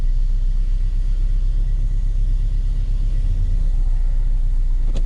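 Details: 2009 Nissan Altima just started, running rough and smoking: low, uneven idle rumble with irregular stumble each beat, like a tractor; misfire from an unplugged ignition coil connector.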